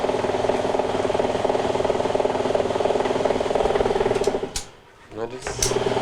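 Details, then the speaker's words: Maytag MAV7600AWW washer that won't drain and smells of burning, belt intact, agitating: a steady droning hum pulsing about four times a second from the transmission assembly; a failing internal gear is suspected, not confirmed. "that noise that you hear right now is coming from the transmission one of the gears in the Transmissions probably turned to fail causing a lot of pressure in the transmission"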